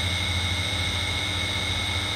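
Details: Cast-iron water pump that tends to jam after sitting, switched on; steady even hum with low drone and clear whine tones, no rattle or labouring, which is the normal sound of it spinning.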